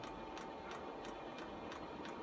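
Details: Chinese diesel air heater on the bench at startup, fuel line still bleeding air: light even ticks about three per second over faint fan hiss as it fires; dosing pump working normally.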